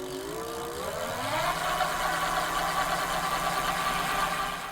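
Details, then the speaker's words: Electric bike hub motor spun at high rpm in the air with no rider or road load: whine climbs in pitch, then holds a steady high note; normal motor noise, similar to running at full 28 mph on the road. "this is the motor trying to keep up with the strange demands that we've put on it although it's a weird test this noise is actually quite normal"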